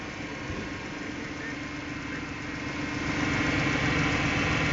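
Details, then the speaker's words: Petrol engine idling steadily and smoothly after a deliberately opened vacuum leak (vacuum modulator line) is plugged; short-term fuel trim and injector pulse width return to normal. "and when I plug it up watch short term fuel trim drop back down and pulse width starts to go back to normal"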